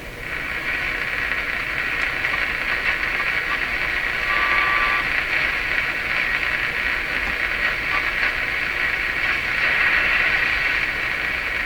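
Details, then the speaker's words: Nordmende Traviata 59 tube radio after replacing two IF capacitors, tuned to the 13 MHz European shortwave band. A steady hissing buzz is interference from the DC fan of the nearby furnace running with the air conditioning. "Now that sound you're hearing, that is the sound of the fan in my furnace. My air conditioner is running right now. It's a DC fan that makes this interference."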